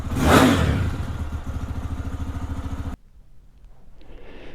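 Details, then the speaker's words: Lifan KPX 250 single-cylinder bike, stone cold, idling about 1500 rpm after a foam-insert hack for a cold-start stumble: it blips up crisply and drops back to an even thumping idle with no hesitation or stumble. "Let me show you what it revs like. Revs nice and crisp and clean. No hesitations or stumble."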